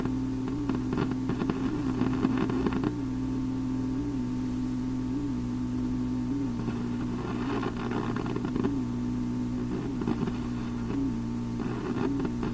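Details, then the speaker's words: Philips Sonate BA581A vacuum tube radio left untouched: steady hum with irregular crackles and pops, sounding like a failing component; cause not confirmed. "so okay so all that noise you heard i sat perfectly still and touched nothing and just listened along with you it's pretty interesting stuff ain't it has that failing component sound to it"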